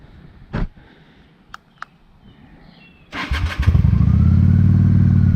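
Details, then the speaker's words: 1998 Honda Shadow 750 ACE V-twin under restoration, new tank, petcock and air filter: faint clicks, cranks, catches about three seconds in, settles to steady even idle; normal start and idle. "and then it finally kind of gave a couple revs when I had it on choke and seems to be running good."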